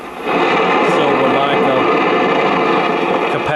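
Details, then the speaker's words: 1956 GE Model 940 five-tube clock radio while tuning: harsh, dense thunderstorm-like crackling hiss with a brief tone near the end, from failed capacitors in the IF transformer cans; stations cannot be picked up. "I'll demonstrate what the problem is and as you hear it's got the telltale signs of a thunderstorm sound which is very characteristic of SMD bad"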